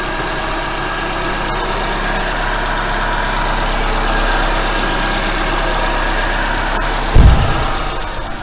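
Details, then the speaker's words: Renault K4M 1.6 16V engine (Renault Fluence or Nissan Almera G15) on trial start after cylinder head repair with genuine hydraulic lifters replacing counterfeit ones that knocked; low, even idle hum, no lifter tapping, one brief clunk near end; quiet, normal idle. "красота сразу никакой прокачки нету у них не надо их ничего газовать греть просто эффект моментальный и шикарный тишина и мотор просто ровненько я работаю"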